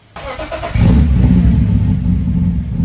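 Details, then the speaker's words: BMW E36 M3 cold start after injector rebuild and throttle cable adjustment that fixed rough idle and misfire: brief crank, catches, settles into deep even rumble, loud from open exhaust; smooth idle now. "Quite a bit of a rumble. Uh but it's sitting super smooth right now."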